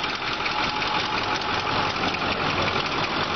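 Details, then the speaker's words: 2008 Ford F-350 King Ranch Super Duty 4x4, V8 Power Stroke turbo diesel, at idle: usual diesel clatter with an uneven dull knock underneath; some kind of knocking noise heard, source unknown. "sounds like you might have some kind of a Knockin noise not sure what that is"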